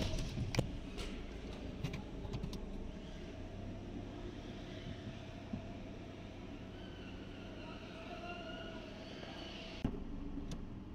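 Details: 2011 Hyundai Sonata automatic after repair (DTC P0705, P0365, misfire, no PRND display, "bog" clunk when shifting; transmission range issue fixed and updated): quiet steady idle, light clicks moving through P-R-N-D, no thump on engagement; shifts smooth.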